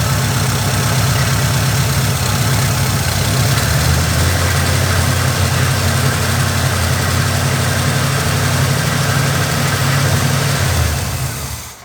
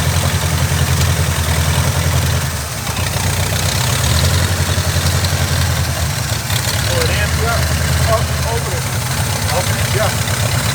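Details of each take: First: Oldsmobile Cutlass with Quadrajet-carbureted Rocket 350 V8, restarted after carburetor work. Deep, loping, unevenly pulsing idle for about eleven seconds before shutdown; an intake vacuum leak is still present. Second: Carbureted Oldsmobile Cutlass with Rocket 350 and Quadrajet, after closing adjustment screws during vacuum-leak hunting: deep, steady V8 burble at idle, even with no stumbles or misses; leak later traced to the back of the carburetor, likely gasket.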